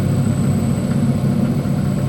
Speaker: That's electrical power being transformed into a mechanical force at over 3,000 RPM.